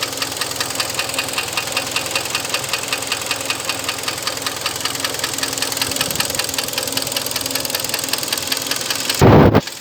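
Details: Hyundai ix35 2013, 2.0 petrol G4KD engine, just under 100,000 km, at idle: steady, fast metallic knock from piston slap due to scored cylinders, fourth cylinder; fixed by overhaul with cylinder boring.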